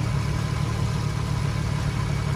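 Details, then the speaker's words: Nissan 350Z VQ35HR V6 after serpentine belt replacement; smooth steady low hum at idle with no squeal or chirp, much quieter than before; belt drive healthy. "so you guys hear that how nice and quiet it is compared to before what a beauty"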